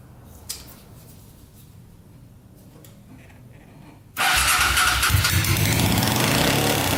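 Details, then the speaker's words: Custom pulling tractor with a swapped 500cc Honda motorcycle engine, long unused, first start after fuel pump works: fires up and runs very loud with a fast, even chugging beat, with only one cylinder firing. "yeah i'd say that uh fired up holy cow thing's loud sounds pretty good and that's with only the one cylinder running not too bad"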